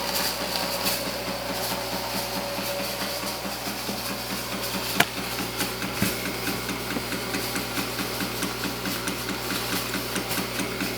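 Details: Antari Z-350 haze machine running: steady hum with fast, fairly regular clicking, about two clicks a second; owner unsure whether it is normal.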